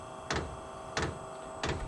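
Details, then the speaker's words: New OMT 8 kW diesel heater first start in garage, battery powered: sharp even fuel pump ticks about every two-thirds of a second over steady fan hum, air bubble purging through fuel line before glow plug fires; priming normally. "I can hear the pump going it's showing the temperature in here it looks like it's uh pumping uh I think it's doing a self- purge cuz this isn't trying to fire yet it's just turning the"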